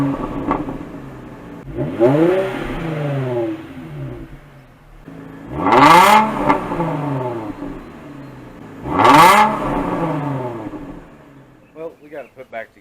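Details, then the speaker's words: 2005 Infiniti FX35 V6 after the resonator delete with a temporary clamped 2-1/4 inch pipe: three clean rev blips with a raspy exhaust note, settling back to a quiet idle. Engine revs freely and healthily. "what do you think does it sound better does it sound worse should it really make a difference"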